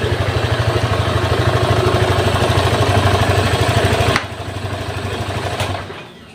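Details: Honda Vario 150 fuel-injected scooter at a normal idle after a faulty TPS sensor had caused heavy fuel use and black spark plugs. Even, steady putter with no hunting or stumbling, then a clean shut-off; the engine now runs stable and normal.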